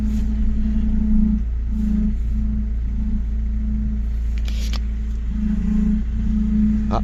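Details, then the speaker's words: Chrysler PT Cruiser CRD diesel, power steering being bled; steady low hum pulsing on and off over the engine drone. "Quiou ah ah j'ai trouvé le point il y a un point là et ça purge tout magique faut pas all en but complètement juste un peu avant un cran avant et voilà il y a plus de bruit quasiment"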